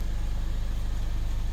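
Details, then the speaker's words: 2015 Mercedes-Benz CLA250 with earlier crank-no-start, low fuel pressure codes P008700/P1CCF00: now running at 600–800 rpm while wires are probed; low smooth steady idle hum, no misses, ticks or whine; normal idle. "okay so I'm on my yellow wire key is on and engine's running as you can hear so engine is"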